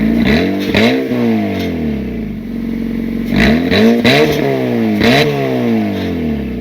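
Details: 2007 petrol car on a lift, engine blipped several times with raspy, slightly clattery revs; owner suspects an exhaust leak, possibly behind running rich (P0172) and power loss, before attempting own repair with corroded screws removed.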